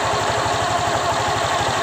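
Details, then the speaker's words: Honda Vario 125 LED ESP scooter after CVT disassembly, cleaning, greasing and reassembly: steady, even idle pulses with no rattle, scrape or whine from the belt drive; the drive side sounds smooth and healthy. "Ini setelah gua pasang kembali, enggak ada suara apapun yang terdengar ya, seperti halus ya. Enggak ada apa-apa ya suaranya."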